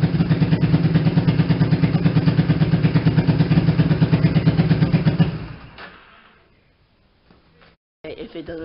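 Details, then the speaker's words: Newly rebuilt Warrior ATV, running on the owner's Honda battery: loud, even single-cylinder thump at idle, steady rhythm with no knock or miss, then shuts off; engine runs healthy after rebuild. "um but yeah it runs good so in a second here i'm going to start it up for you guys uh so you can hear what it sounds like um it sounds pretty good"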